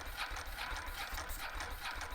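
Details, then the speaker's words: Ducati 916 Biposto, 13,800 km, laid up 15 years; attempt on a jump pack, bike upright on a main stand. Quiet, rhythmic churning at four to five beats a second that never catches: cranking, no start. "and we still with nothing. Um quite frustrating."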